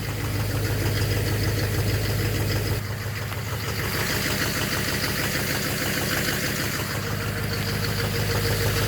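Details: 2009 Chevrolet Duramax LMM dually diesel, 59,945 miles, morning start idle: sharp regular knock about three per second over the clatter, seeming to come from the back of the motor; suspected injector knock or cracked flex-plate, #5 injector later replaced.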